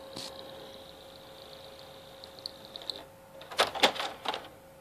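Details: PS3 that stopped reading discs after a game: thin high squeak and steady faint whine from the disc drive, then a few sharp mechanical clicks.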